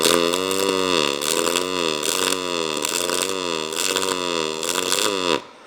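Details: ArcCaptain MIG 205 MP on pulse MIG at 20 V, 87 A, 360 in/min wire speed: harsh droning buzz wavering about once a second, then cuts off; voltage too low, arc runs cold, later smoothing to a hum at 22 V.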